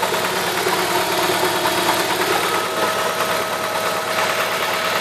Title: E46 318 engine knocking